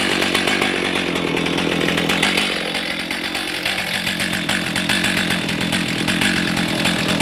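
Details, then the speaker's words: Stihl MS310 chainsaw idling after 10–15 minutes, warm, following an ignition repair; it previously got hot and dropped out after about 2 minutes. Two-stroke buzz holds high and steady with no cutting out or stumbling; running normally. "Okay, she's been running for probably 10-15 minutes. We're sitting at idle."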